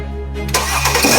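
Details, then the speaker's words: Mercedes-Benz S-Class M272 V6 after full engine overhaul and chassis refurbishment, first start after reassembly: brief crank, catches cleanly and settles without knocks or misfires; car revived, left to warm up, normal start. "行了，让热会儿车吧。OK，兄弟们看到吗？这台车啊，复活了啊！"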